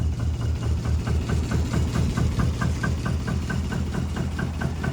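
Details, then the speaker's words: 1973 Lancia Fulvia 1.3L V4, front-wheel drive, fully cold with carbs tuned and no choke, idling: smooth low idle with a faint regular light tick about twice a second; minor rattle suspected in a door panel, source unknown. "I can hear a little Cricket chirping you hear it it's somewhere sounds like in a door panel be hear a little bit harmonic there"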